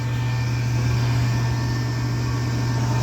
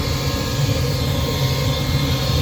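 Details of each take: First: Rheem furnace after replacing the noisy inducer motor with a new OEM 1.3 A unit: steady, even low hum with faint whir, no rattle or bearing noise; amps good, sounds far better than the old motor. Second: Old inducer motor on a Rheem furnace, unit still working but extremely noisy: loud steady low roar with rough droning hum; sound is internal to the aged motor windings, not serviceable, so the motor is being replaced with a new one.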